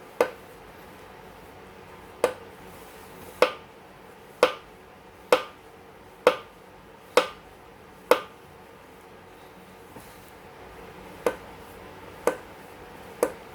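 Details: Newly assembled Yesoul S3 exercise bike: a sharp single click on each pedal stroke from the left pedal area, heard right away when pedalling against near silence; something possibly loose, cause unknown.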